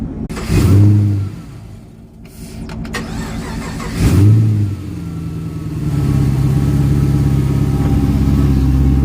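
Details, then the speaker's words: Camaro SS 6.2L V8, about 480 hp, with BBK intake and mild cam, reading misfire codes. It starts and blips twice, then a lumpy, loping uneven idle like a cylinder missing. Suspected cause: deposit-fouled spark plugs and boots needing replacement. "spark plug and the boot needs to be changed spark plug so you need to get new boots and new spark plugs cuz SP plugs have uh a lot of like deposit all over it so they need be changed up"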